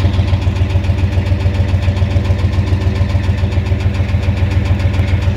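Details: 1988 Ford F250 7.3L IDI diesel at idle with a high-pressure fuel line leak, white/grey exhaust smoke, smoke from the oil dipstick and oil in the add zone: a loud, even knock about 3.5 per second over the heavy idle. Cause suspected, not confirmed.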